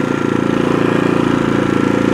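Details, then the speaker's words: New AIVOLT 4300 inverter generator on gasoline, first start on choke on a mild day, switched to run once sputtering: fast even patter, steady and smooth with no misses; normal running. "Start is choke, although it's not that cold out today. We'll see what happens here. Yeah, it's sputtering already, so move it to run."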